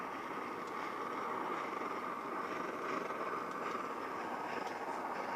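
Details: Vintage late-1970s/early-1980s Stansport camp stove running on camp fuel after fixing: steady even burner roar, no sputtering, popping or surging; burning cleanly.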